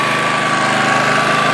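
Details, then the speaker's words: Honda EX800 generator after a tune-up, first start, checked with a vibrating-reed hertz meter: steady, buzzy drone at constant pitch; it is running at 50 Hz but should run at 60 Hz, so engine speed is too low. "so right now this is vibrating that little white square and that's telling me it's running at 50 Hertz I hope you guys can see that there yeah so that's vibrating that means that 50 Hertz"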